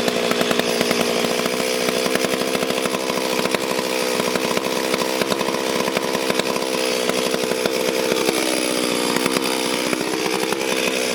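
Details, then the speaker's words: Stihl MS440 chainsaw, clean but reportedly down on power, first start and test run before port work; high buzzy two-stroke snarl held at revs with rough rattling edge and brief dip; noisy clutch bearing. "But, um, we the clutch bearing on it making a lot of noise. We're going to have a look at that."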